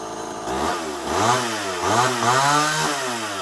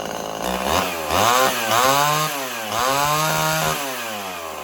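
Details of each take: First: Homelite XL-12 chainsaw after getting it running right, hard to pull and previously running poorly when hot: small two-stroke revs up and drops back three times cleanly without bogging; runs well. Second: Old Homelite XL 12 two-stroke chainsaw, hard to pull when hot, revs surge up and down unevenly, then sags and stalls; owner suspects a long-stored carburetor losing pressure and loading up, possibly worn piston ring.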